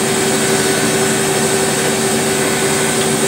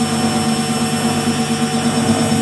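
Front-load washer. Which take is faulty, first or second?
first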